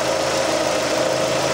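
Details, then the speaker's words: 2006 Suzuki Forenza after cylinder head replacement (valves bent by broken timing belt), warm idle after about 10 minutes of running: quiet, smooth steady hum, not shaking or missing, no lifter tick; normal idle. "it's actually really quiet you can hear it running right now it's not shaking not missing"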